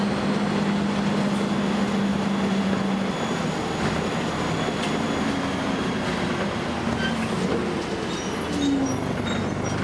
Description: First Manchester Volvo B10BLE, with a strange, high-pitched noise! Recorded 30th May 2011.